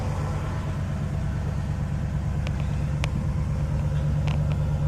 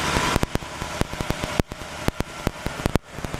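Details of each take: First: 1960 Pontiac Catalina barn-find V8, cold start on fast idle, generator charging: steady even low rumble with no misses or knocks; sounds healthy. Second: 1960 Pontiac Catalina barn find, 10.5:1 compression on premium fuel, warming up at fast idle: sharp uneven ticking, several per second; slight valve lifter noise, louder on one side.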